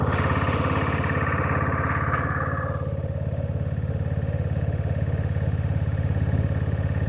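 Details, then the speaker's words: Honda-engined side-by-side after reassembly, running in neutral: steady quick even idle set too high. "let's fire it up in neutral and see how it runs now she's running a little bit on the fast"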